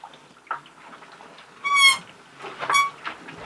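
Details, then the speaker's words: Older-model WonderWash small washer with lid cranked down to seal, drum being cranked: two sharp high-pitched squeaks about a second apart; the not-very-sturdy frame flexes and squeaks. "And it's not a super sturdy frame. The little squeak it makes Burley look. I don't know if you can see him on the floor. He thinks it sounds like a little rodent when the frame there squeaks."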